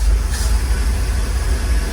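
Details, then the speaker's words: 1948 GMC COE truck, first start after many years sitting, primed with premix fuel down the carburetor: deep, even rumble with no knocks, misses or rattles. It now runs on its own and sounds healthy, though it still needs a carburetor cleanout. Normal running. "Wow, she's a runner! Woo! Hey, I'll tell you what, it sounded healthy. Sounds pretty healthy, but definitely needs a carburetor clean out, some work."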